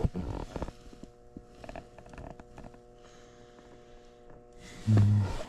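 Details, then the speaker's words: Old Trane air handler that wouldn't run, failed variable-speed blower motor: quiet, steady low electrical buzz under light handling noise shows the transformer is energised and there is power; normal transformer hum. "No, you hear that humming in there? Yeah. That tells me we got power. That's your transformer."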